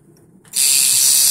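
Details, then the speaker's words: Centri Cobra tattoo machine with Switch at 9 volts, running without a needle, magnet adjusted; fast high-pitched buzzing clatter as armature bangs the magnet, harmless unless at about 12 volts. Normal unloaded clatter. "Running and clanking or whatever. Add a little more. That's good. It just means it's basically banging into the magnet, but it's not going to destroy it or damage it unless you're running at like 12 volts."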